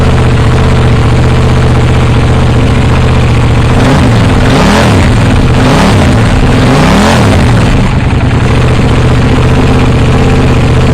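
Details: KTM Duke 790 with new IXRACE MK2 aftermarket exhaust, baffle (DB killer) still fitted: loud, deep, even idle then several quick throttle blips rising and falling cleanly; normal, healthy exhaust note.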